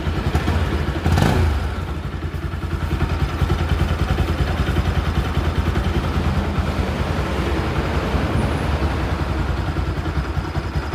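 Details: Bajaj Pulsar NS 200 after cylinder head and cylinder kit refit to cure engine noise: steady even single-cylinder idle beat with no ticking or clatter. Normal quiet idle after repair.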